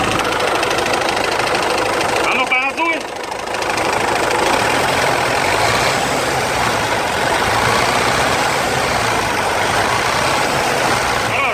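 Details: Knock from low down at idle, roughly three to four per second, over rough diesel clatter on a Hyundai H-1 Starex I 2.5 TD: the crankshaft pulley bolt had worked loose and the key and pulley seat were damaged.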